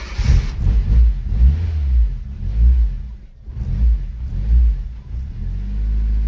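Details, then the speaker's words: Fiat Cinquecento turbo project running with its idle control valve removed: engine hunts and surges, revs rising and sagging about every second, unable to hold idle without the extra air; held on a little throttle. "Now that is to be expected, because obviously now it doesn't have the idle control valve anymore. It's not getting that extra air that it needs."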